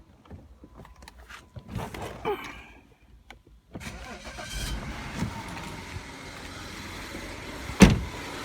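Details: 2008 BMW 535i just after water pump replacement and coolant refill, started to check for leaks: quiet catch, then a soft even idle with no knocks or squeals; no leaks, pump circulating.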